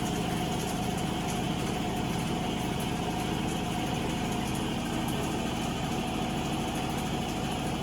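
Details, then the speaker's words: Avanti TLW 21D2P portable washing machine trying to drain: steady electric hum with a faint pulsing beat and no water moving; water won't pump out of the hose into the sink; clogged drain pump. "It doesn't pump the water into the sink, okay, because when the hose was on the sink, the water didn't go, so there is problem with the pump."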